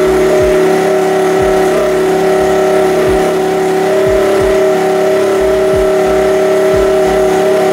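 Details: Honda Sonic motorcycle with a new larger-finned regulator/rectifier (kiprok) fitted after the old one failed after over a dozen years: a steady buzzy hum at an even pitch with light regular pulsing and no misfire or knock, running evenly.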